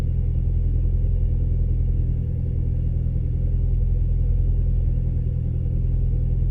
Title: Audi 1.8t cold start misfire